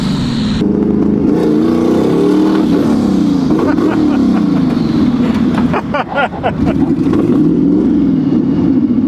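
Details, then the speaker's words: Scion FR-S built to about 700 hp, first drive with new Mantic twin-disc clutch: revs rise and fall roughly with popping and crackling under load, flames; running really rich and breaking up, wideband not reading well, tune needed. "so I think now we got to figure out why it's breaking up so much. Obviously, it's running really rich."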